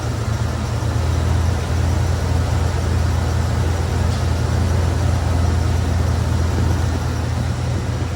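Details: Chevy 305 V8, cold-started fast on a jump starter with a dead battery: steady, even low rumble with no misses, knocks or ticks at a smooth idle, left running to charge the battery.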